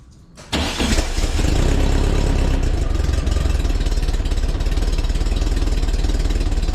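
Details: 1961 VW Beetle air-cooled flat four after replacing a worn aluminum crank pulley with a stock steel pulley, stainless nut and bolt and new 905 toothed belt, 5/8 inch deflection: quick catch on cranking, then steady even idle, no squeal or knock.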